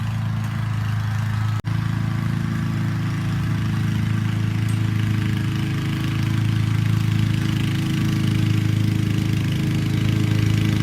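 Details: Honda HRC216 mower with GXV160 engine, louder than the HRX217, cutting grass: loud, deep, steady single-cylinder drone with an even beat, no misses or surging; normal running under load.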